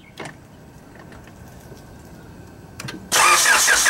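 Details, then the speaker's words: Car engine cranked with distributor cable disconnected, no spark, to prime oil after turbo kit install: a few clicks, then fast, even starter churning that never catches. "we're going to turn the engine over and I disconnected the distributor cable so we have no spark the car will not start without the distributor hooked up so we have no spark"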